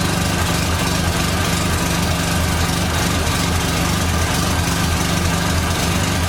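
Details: 1989 Dodge Daytona ES salvage-yard car: steady idle with a thin constant whine above the engine note, attributed to power steering; cause suspected, not confirmed.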